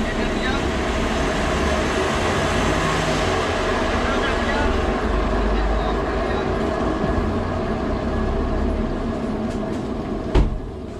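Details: Honda City car raised on a stand, wheel spun: steady coarse droning rumble with no engine rhythm, from a worn wheel bearing, said to wear out over time, around 100,000 km.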